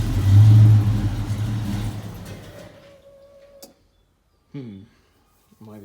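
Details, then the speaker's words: 1987 Ford Mustang SSP, sat a year and a half, new distributor cap and starter solenoid: fuel pump heard, engine catches and revs briefly then dies to silence with faint whirs; starts then stalls, owner suspects out of fuel or wiring. "oh there's fuel pump how about that well started for a second"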